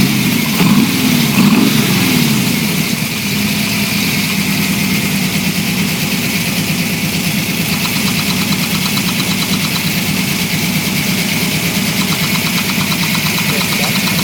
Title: Knocking Noise Broadband